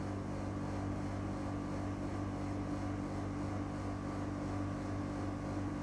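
Constant loud hum with a steady low drone and whir, no rhythm or change, far louder than a unit this new should run.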